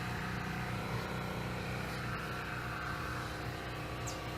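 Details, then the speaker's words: Used Coleman Powermate Pulse 1750 generator (1400 W continuous, 1750 W surge), fresh gas and oil change, just hooked to a tea kettle (about 800–900 W) outdoors: steady, even drone with smooth regular beat, no hunting or surging; healthy under load. "And we're going to hook up this tea kettle to it. This one will pull, I believe it's about 800 watts, 900 watts to start. So here we go. Alright, you can hear it working"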